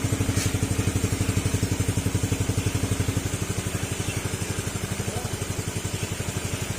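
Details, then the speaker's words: Yamaha Sporty scooter after engine overhaul, airbox not yet refitted: even, steady putt about four beats a second with a raspy note from a holed exhaust, no knocking; engine now runs normally. "Pim na yung makina niya mga sir butas lang yung ano yung tambutso niya kaya ganyan yung tunog"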